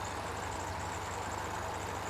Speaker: Got our idle set right around 750. Throttle plates closed to the point to where I don't have any vacuum on the port. And we have the line disconnected. No vacuum.